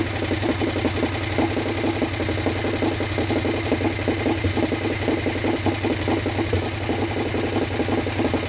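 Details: Harley Sportster 1200 V-twin, swapped in after sitting outside full of water, first start without rebuild: uneven idle with fast light metallic valvetrain tick; old Sportster tick, top end thought dry, expected to clean up.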